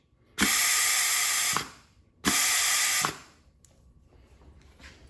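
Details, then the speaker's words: Compressed-air test of a rebuilt Mustang transmission's forward clutch drum after lubing O-rings: two long hissing blasts with heavy leakage; a part later found not fully seated, seals suspected. Excessive air leak on clutch air test. "let's hit it with some pressure again and see if that was our problem fingers crossed at least it holds it up still sounds like a lot of leakage"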